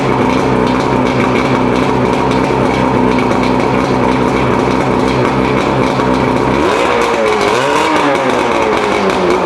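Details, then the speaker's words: Mercury 115 two-stroke outboard after rebuild (worn piston, combined with a donor engine) to cure a loud idle hammering: runs steady and even with a rev blip, shuts off cleanly without the former rattle; ran about half an hour fine. "So all in all, we ran the engine about a half hour. Seemed like it's doing just fine."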